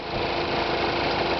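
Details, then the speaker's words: High-mileage car whose transmission overheated, lit the service light and lost acceleration, failing four times. At idle a rough, gravelly chatter and rumble holds steady, which the owner attributes to the transmission; the cause is unconfirmed. "just kind of hear like a chattering noise and it's coming from the transmission kind of hear it rumbling right now it doesn't really sound good at all"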